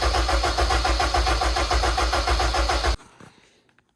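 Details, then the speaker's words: Project RED engine build, dry crank with ECU off and starter hot-wired: steady, even cranking at about three and a half turns per second, regular rhythm then cut off; starter spins the engine strongly. "starter run strong everything runs good so far"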